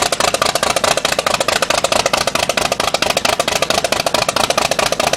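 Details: 1950s Cessna 310 with Continental O-470 engines, engine 1's first start after overhaul. Sharp, even prop-and-exhaust pulses at about two per second, steady with no misses: the freshly overhauled flat-six is turning over smoothly.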